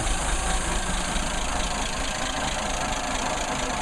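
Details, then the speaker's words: Nissan Patrol 60-series (L60, titled 1962), bought in 2013, in about 105° heat: light, uneven ticking over a low, smooth, steady idle. Noisy valve train; owner plans to adjust the valves to reduce the noise. "pretty good the valves are noisy I need to adjust the valves and see if I can uh get some of that noise adjusted out of them"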